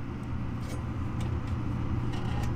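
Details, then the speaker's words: Furnace startup with the hot surface igniter fully plugged back in after simulating a bad igniter: draft inducer motor spins up with a steady, even low hum, no rattles or scraping; normal inducer operation before the igniter glows. "so once again the inducer motor comes on this time i have it plugged in all the way"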